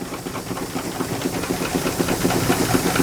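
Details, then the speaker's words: Miniature space-saver steam engine running on steam: quick, fairly regular clicking about four per second over steam hiss as a bolt wobbles itself out with each stroke; loose bolt knock. "see this this Bolt's already can you see it it's already just about out push it back in and it'll just every time it clicks it just wobbles itself right out"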